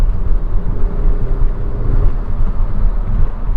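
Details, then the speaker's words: Saab 9-5 2.3 turbo on a test drive after fitting a new aftermarket mass airflow sensor; deep, even rumble under way with no misses, knocks or whines over road noise, pulls strong, no check engine light; running well. "all right well she's good she's strong I thought it was running good before very nice"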